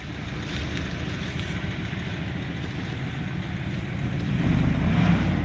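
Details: Dodge Dakota R/T with stock 5.9-liter 360 V8 (transmission bad, doesn't drive): deep, even burble at idle swelling smoothly as throttle opens; steady firing, no knocks or misses; engine runs great.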